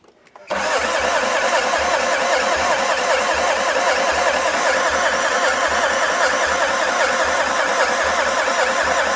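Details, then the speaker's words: Long-parked non-running Renault Master van with cam movement and fuel present: steady starter churn at about 2.5 turns per second, never fires. Glow plugs 1 and 2 were later found not screwed into the head. Cranks, no start. "We got cam movement. We got fuel. Just it ain't having it at all, is it? Try again."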